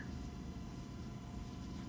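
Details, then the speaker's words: 2012 Tesla Model S Signature Performance after replacing a failed battery coolant pump and power-cycling the high-voltage and 12V systems five or six times to purge air: steady low hum with faint even tones, no cavitation at pump startup. "so I've run the pump cycled the high voltage and 12 volt system about five or six times now I no longer hear any cavitation on the pump startup for the last couple times"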